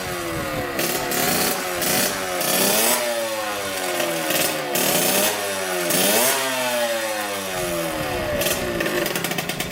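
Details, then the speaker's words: 1986 Yamaha YSR 50 two-stroke, bump-started after refitting the carburetor and priming with premix: a crisp buzz revving up and down cleanly without stumbling, running well. "Runs pretty dang good. Hopefully you guys saw that. It runs great actually."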